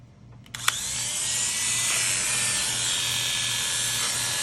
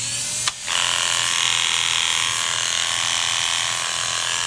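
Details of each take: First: Cheap Chinese-made electric hair clipper, just sharpened and then adjusted after sounding terrible: it switches on and settles into a smooth, steady high buzz with no rattle. Normal running, sounds much better. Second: Cheap Chinese-made hair clipper blade just after sharpening: loud, harsh, rattly buzz from poor blade tension. Adjusting the tension makes it sound much better.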